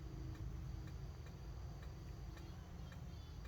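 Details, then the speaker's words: RV refrigerator lighting on propane in gas mode: sharp, even clicks about twice a second over a low hum as the igniter sparks normally until the propane lights. "you can hear the igniter clicking and there it is i can hear the propane i know you guys can't but it has lit"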